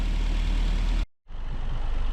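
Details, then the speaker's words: Mazda MX-5 Mk3 (NC) 1.8 engine at idle after a rebuild for oil consumption and a newly fitted exhaust manifold, coolant system being bled; low, even, steady idle with no knocks, ticks or misses, sounding healthy. Some residual oil is expected in the exhaust. "so uh we've got the new manifold on and it just sounds distin distinctive sounds good"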